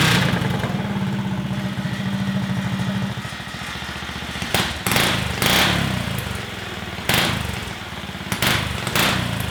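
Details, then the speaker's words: Stage 2 Predator 420cc single-cylinder golf cart with a makeshift flex-conduit muffler: a steady low thump at idle, then a few sharp throttle blips, fairly subdued exhaust, running evenly; normal running with muffled exhaust. "so our makeshift muffler shame works pretty well man"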